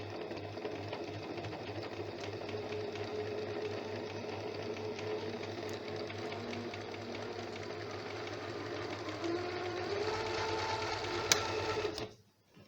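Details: Janome sewing machine after being serviced for a running noise: an even, quick stitching whir at a steady pace with no knocks or grinding, then it stops. It now runs smoothly.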